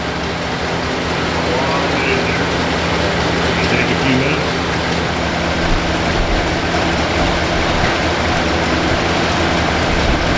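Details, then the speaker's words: 1978 Lincoln Town Car V8, first start after about 25 years in storage, idles with a low, steady, even rumble and no knocks. Stale fuel is being pumped out through the working fuel pump; the choke isn't coming off properly. "uh at least the fuel pump's working car seems to run pretty good still some work to do the chok's not coming off properly and few other little details"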